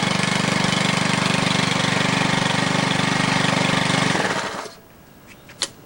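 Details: New MTD Yard Machine walk-behind edger, Powermore 140cc OHV four-stroke gasoline engine, first-ever run, blade raised: fast, even beat for about four seconds, then shuts off cleanly; healthy normal running.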